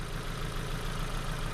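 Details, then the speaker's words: Ford Focus brought in for a crank-no-start, after new plugs, oil and filter change: an uneven, lumpy idle with an irregular stumble, check engine light flashing, code P0300 multiple misfire, dropouts on cylinder one. "so you see the check light flashing right and when i scan the car tell me p 0 300 um multiple misfire right so this is what's happening with the new plugs in the vehicle"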